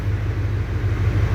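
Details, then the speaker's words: 2007 Duramax diesel truck, cold, after replacing one bad six-month-old battery that caused no-crank/slow crank and flickering gauges: even steady idle, smooth low rumble, no misses, charging at 14 volts, running healthy. "happy as can be there you have it"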